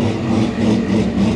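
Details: A&A supercharged C6 Corvette with unknown cam specs, arriving with a bad tune (rich, very low timing) that ran rough even after basic maintenance. A deep, uneven idle with a wavering drone swells and sags within a second or two: rough idle from poor engine tune.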